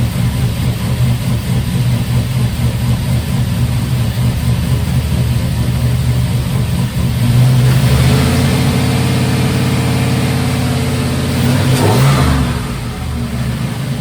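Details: Turbo LS-swapped 1955 Buick V8 after fitting a homemade 3" exhaust (downpipe to Silverado tailpipe pieces, swap-meet Thrush muffler, over the axle, slash-cut outlet): deep even burble at idle, clean free revs that settle smoothly, no rattles or drone; normal revving.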